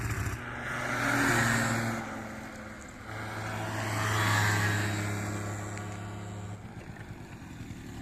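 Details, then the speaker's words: 2009 Yamaha Zuma scooter, ice-cold first start after partial-removal carb cleaning and new charged battery: two clean rev-ups from a buzzy idle, rising and falling smoothly with no stumble or bog; running properly, no-start fixed. "can't get much easier it's running good it's gonna take for a little test ride I'm going to warm up"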